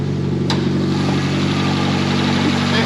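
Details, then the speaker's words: Nissan Primera that had been taken off the road for not running, now started and idling smoothly; the exhaust has a big hole, giving a rough, blowy rasp over the engine note. Owner suspects it may still cut out. Exhaust leak. "running very sweetly like we said before the exhaust a little bit noisy who's got a big hole in it"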